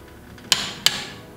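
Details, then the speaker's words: Click-type torque wrench set to 90 ft-lb tightening a wheel bolt with a 21 mm socket; two sharp crisp snaps as the wrench breaks over at set torque. "So, set my torque wrench to 90 pounds. All I'm going to do is I'm going to put it in, listen for that single"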